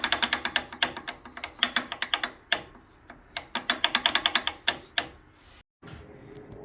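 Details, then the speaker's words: 1993 Dodge W250 1st-gen Cummins, Dana 60 front disc brake with caliper key and spring fitted: pry bar makes sharp metal clacks in quick bursts as the loose outboard pad knocks back and forth, too loose and causing brake noise. "here's an example of what you shouldn't be able to do do so there's the caliper key and spring installed just taking a pry bar I should not be able to do this that is way too loose"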